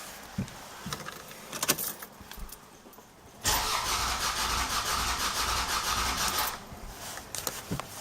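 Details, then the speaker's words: 1997 Lexus ES300 used engine with valve click and bad misfire, rear center cylinder: three seconds of starter cranking with uneven rhythm, one beat dragging lighter; flat spot from a low-compression cylinder due to a stuck valve. "If you have one or more cylinders which are leaking, then you're going to get like a flat spot."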